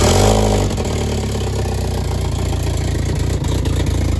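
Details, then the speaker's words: B5 1.8T big-turbo build on first start, vacuum lines connected but cooling system not yet fitted: catches and settles into a steady low idle with exhaust drone, no knocking or ticking, then shuts itself off for unknown reasons. "1.8Ts are sensitive to sensors, so that's awesome. The engine starts, it runs, it doesn't knock. That's a plus, dude."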